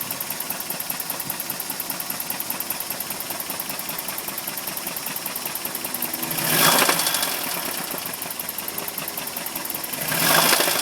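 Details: 1991 Toyota 22RE petrol engine, 223,046 miles, 87 octane, temperature normal, no check engine light: busy ticking at idle, then three short revs bring a harsher rattling knock; the owner doesn't know the cause.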